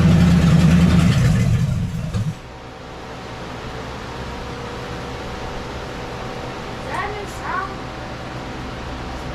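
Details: 1976 Chevy LUV with a freshly installed 350 V8, first start: loud burst as it fires, then a low, steady rumble with an even lope at idle; normal idle.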